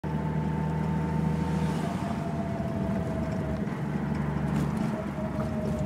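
Steady low idle drone with a thin, wavering high whistle riding on top; something sounds off, but the cause isn't clear.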